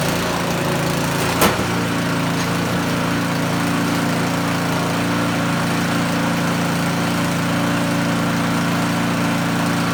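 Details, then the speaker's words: Small snowblower engine test-run after choke-and-pull start, fuel line hooked up, before reassembly; smooth constant drone at steady speed, one brief early click, no misses or surging. Running normally. "Success. They'll be happy because we got snow coming and they want to move snow."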